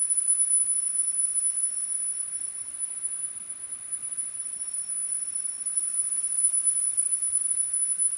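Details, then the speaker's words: Pioneer CT-W205R 90s auto-reverse double cassette deck after head alignment: faint, steady 10 kHz test tone from the test tape, holding level without dropouts or wavering; deck plays high frequencies cleanly. "so here we go this should be 10 000 hertz 10 000 there we go so this is where we want us with this real high frequency"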